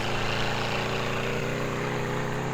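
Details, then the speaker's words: Military 4-cylinder go-kart engine (about 525cc) with VM22 Mikuni carburetor, after tuning, on a warm-up lap: smooth even buzzing drone with no misses, all four cylinders firing cleanly under load. "It sounds like all 4 cylinders are going. No problems."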